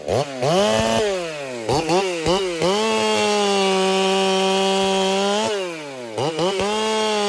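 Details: Racing-build chainsaw, either a Dolmar 7900 or a Holtzfforma 395, tuned noticeably fatter, which the owner fears may cost power. Clean high-revving scream, pitch dipping slightly in the wood and recovering between cuts; strong, even running.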